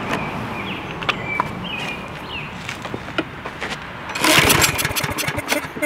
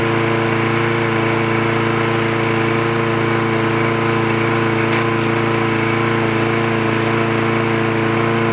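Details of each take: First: Craftsman lawn mower: repeated rope pulls with recoil rattle spin the engine, but it never fires once, because the spark plug wire was disconnected. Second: Trash-picked free Craftsman push lawn mower with automatic choke, running after the spark plug wire was reconnected: a steady, even buzz at constant speed with a clear humming note and no misses or knocks; it runs smoothly.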